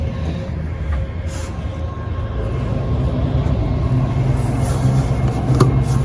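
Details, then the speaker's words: Restored 1971 Johnson 6 hp two-stroke outboard on its first on-water test run after restoration, restarted for a quick-start check: catches quickly, settles into an even low burble that builds slightly with throttle, no misses or knocks. Normal start and idle. "yes sir starts right up"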